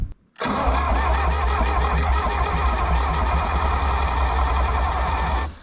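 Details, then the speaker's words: 1960 John Deere 1010 diesel tractor, intake preheated, fuel reaching cylinders: low, steady starter chugging for five seconds, never fires, no exhaust smoke; cranks but won't start, owner suspects injection pump 180° out. "I really would have expected some smoke cuz I know fuel's getting in the cylinders now but I got no smoke so maybe we need to flip that injection pump around 180° see what that does"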